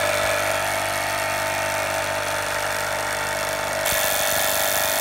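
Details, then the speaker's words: Impulse-coupled magneto on a test stand at 1000 RPM: steady even drone through the run with no gaps or stumbles; magneto sparking consistently without missing. "The phone shutter speed camera causes some irregularity, but that is a constant spark, I can assure you. And you can see and hear that it's not missing."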